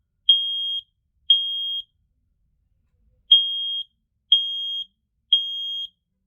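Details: Sharp high beeps, each about half a second, in a three-then-two pattern with a pause. A smoke alarm of uncertain sensor type (owner thinks ionization) sounding its test signal correctly; owner notes the alarms are getting old.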